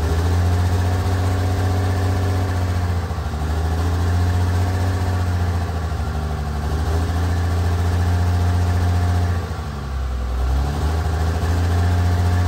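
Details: Freshly installed 1500hp Cummins diesel, run without coolant, cam break-in sweeping about 1000–2000 rpm during hot re-torque: deep even drone at raised idle, dipping and recovering cleanly, steady beat. Normal high idle.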